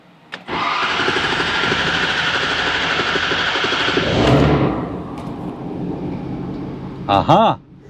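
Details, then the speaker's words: 2011 Ford F550 6.7L Powerstroke diesel, which had an engine knock and kept blowing apart return lines, cranks and settles into smooth, even diesel clatter; the knock is gone, normal idle. "aha the knock is gone listen to that"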